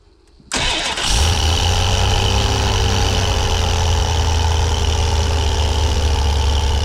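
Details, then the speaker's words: 1988 Dodge B250 Roadtrek van, 318 TBI, first start after fuel injector and temperature sensor replacement for rough running and stalling: a quick catch, then a steady, even rumble and smooth idle with no misses. "when it goes back on yeah sounds pretty good in the yard take it for a test drive but uh so far so good quite an easy job"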